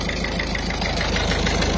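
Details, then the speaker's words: Citroën C4 Picasso 2009 DV6 HDi diesel 16-valve, after repair of leaking injector seals: even diesel idle clatter with a light, regular timing chain tick on top, nothing uneven; normal idle, chain noise normal. "alors le petit bruit qu'on entend en fait c'est la chaîne"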